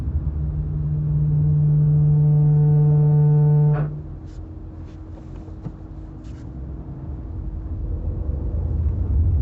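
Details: Chevrolet Camaro ZLE brake groan: low steady moan with ringing overtones holding about four seconds, then cutting off sharply; cause not determined.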